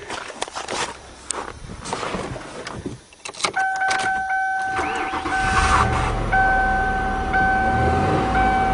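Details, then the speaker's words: 1997 Lincoln Continental idling steadily with dash chimes after replacing a burnt spark plug wire that caused a one-cylinder misfire; puffy, thumpy sound gone, returns when wire unhooked. Normal idle. "oh that sounds better already no more little puffy sound"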